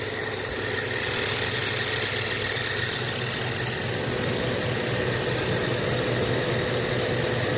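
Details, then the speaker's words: Used inverter-drive heat pump compressor, condemned for excessive vibration, run on a VFD in a homemade heat pump water heater: rough uneven rattling hum with loose knocks two or three times a second; pulls high amps and cuts out, owner suspects it is bad. "but things like the vibrations on this thing was crazy so it might have been bad after all"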